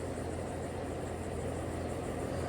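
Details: 2007 2.5-ton Trane XR13 heat pump (compressor believed to be a scroll) starting up: a steady low hum with fan rush, even and smooth with no knocks or rattles. Normal compressor startup and running.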